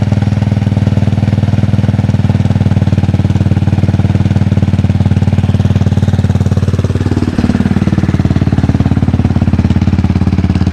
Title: Cold start - Clicking noise primary side